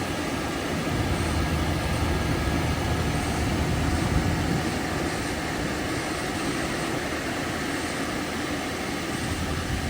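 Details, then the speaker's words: 1998 Toyota Tacoma 2.7 four-cylinder with blown head gasket: starts rough, uneven lumpy misfiring idle that steadies slightly, blowing smoke at first, losing coolant with no external leaks. "yep I think we got a blown head gasket it starts rough like it's misfiring until it clears up and then it starts blow BL this smoke out at first and going and we're losing coolant"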